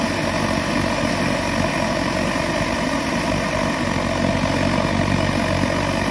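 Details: Svea 16 kerosene stove from around WWII, fitted with a spare flame ring that is too tall, gives a loud throbbing, fast-pulsing buzz instead of a smooth roar; a shorter flame ring cures it.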